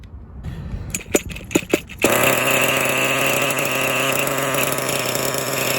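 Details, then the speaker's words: Kyosho Foxx 2.0 nitro RC car with a brand-new Kyosho engine and a 3-speed clutch: it pull-starts and runs high and buzzy with a rough grinding rasp. Owner suspects a crooked clutch bell; bearings are also considered, and the clutch springs checked fine. "Yeah, you can hear it. You hear that grinding noise? Weird grinding noise. Right. I'm not sure. It seems like maybe the clutch bell is actually getting crooked as it, you know, as I accelerate a little bit, but the motor starts up fine."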